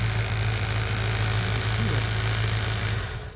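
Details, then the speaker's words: Ford Fox body Mustang with new MSD coil rated 44,000 volts, tested with a spark gap tool set to 35 then 40: steady, slightly uneven idle with faint ticking, then engine suddenly dies; owner suspects the test killed the new coil. "Whoa! Just shut off. What's up with that? Well, I think I might have just killed my brand new coil."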